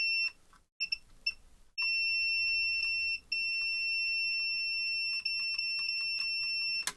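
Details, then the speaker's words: AXUS keyboard with no power, continuity test on the lead after reflowing the solder: the beep cuts in and out irregularly, still a loose connection, suspected inside the connector crimp. "It's still a bit loose. So, feel like it must be something inside the actual connector end here."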